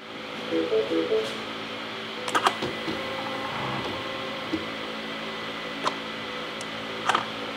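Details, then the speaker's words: MINI with a replaced high-pressure fuel pump, heard from the engine bay at key-on, engine off: a faint high electric whine starts with a click, holds a few seconds, then clicks off; normal fuel system priming. "I wouldn't quite call it a loud noise, but you can distinctly hear it. You should be able to hear it turn on and then turn off."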